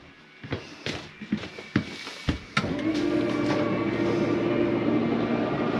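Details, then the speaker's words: Forest River Sabre 360QB slide-out retracting: a few uneven clunks as the drive takes up, then steady motor drone; normal noise from the slide mechanism stopping itself from travelling too far, not grinding. "it's okay to hear that don't panic nothing is grinding you'll hear that sometimes going in or out it is the slide mechanism keeping itself from going uh in or out too far"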